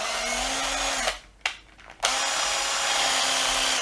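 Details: Erbauer cordless impact driver, reassembled after teardown and cleaning, test-run unloaded: smooth, even high-pitched motor whir in short trigger bursts, no rasp, stutter or sparks; normal free run.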